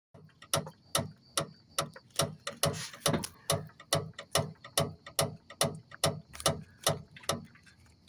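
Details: Mazda Demio front suspension rocked by hand: sharp hollow metallic knocks about twice a second from the stabilizer link; tightening its nut cured it.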